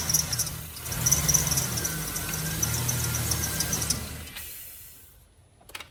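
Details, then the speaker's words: 2007 GMC Sierra idling after idler pulley and serpentine belt replacement; sharp high chirps repeating a few times a second show the serpentine belt still squeaks. "so yes it still squeaks they're annoying so"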